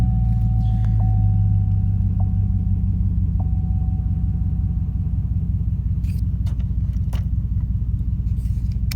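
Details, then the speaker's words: 2006 Chevrolet Trailblazer SS after replacing faulty ignition switch with new GM part (had stalled, no-crank no-start): steady even low idle rumble, no knocks, misses or rattles; runs smoothly. "see with the key all the way off now and if I move the key all the way over into the on position starts no problem"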